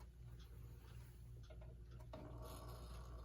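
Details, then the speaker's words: United model 59 electric pendulum wall clock, made in Brooklyn, running before repair: a steady low buzz and hum from the motor, far louder than it should be. "this one runs but it's very noisy and I'll plug it in and try to show you just how loud it is"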